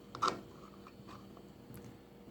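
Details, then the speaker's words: GE gas range about a year old, knob turned off: the igniter keeps making sharp, dry ticks about once a second. The cause is a plastic ring behind the knob that has worked out of position; pushing it back in stops the clicking. "turn it off. It's still clicking, really annoying."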